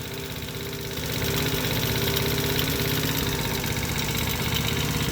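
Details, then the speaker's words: Small single-cylinder mini ATV engine idling; light knock about three per second following engine speed from the lower part of the motor; owner suspects rod knock. "but i think i need to idler up just a little bit let's see if i can do that real quick but i don't i think she's got a little rod knock but whatever"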